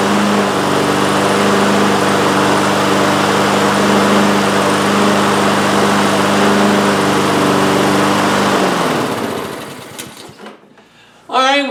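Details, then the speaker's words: Husqvarna HU800AWD lawnmower with a Honda GCV190, previously not starting, after repair with a new air filter: runs with a smooth, even hum at steady speed and no misses, then winds down cleanly when shut off; normal running. "we got it running and uh that was our main objective"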